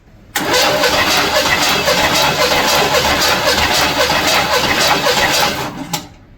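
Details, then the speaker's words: 1976 Chevy El Camino 350 V8 (1974 engine) during a compression test: steady, even cranking rhythm of about four beats a second with no lazy or skipped strokes; about 150 psi, seven of eight cylinders nearly identical. "oh God yes yes you don't think it's got 150 psi just listen to this yeah he's got 150 psi"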